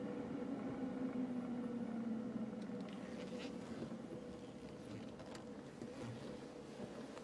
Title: 2010 JK strange vibration noise??